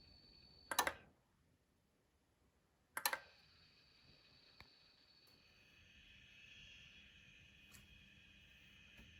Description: Усилитель мощности Emotiva A-300 свистит и шумит во время работы.